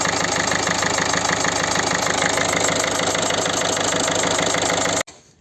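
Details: Peugeot 308 1.6 HDi diesel idling: regular puffing chuff about three per second over the clatter, a compression leak at one injector with carbon buildup; fix is new seal and copper washer, correct torque.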